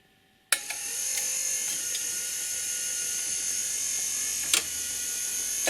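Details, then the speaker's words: Rock-Ola 456 jukebox under restoration: steady high motor whir with a few sharp mechanical clicks as the carriage travels and stops cleanly at its home position; normal carriage return. "carriage goes back to his home position as it should just like that"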